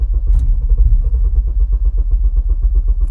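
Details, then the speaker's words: Honda K24 drive-by-wire on Fuel Tech management during cold-start tuning, out of gear: even cranking about seven chugs a second that never catches; no status events logged, later suspected too much fuel in chamber, fired after key cycle. "so interestingly enough it's giving me a problem there on starting and there's no status events showing that there's any actual issues"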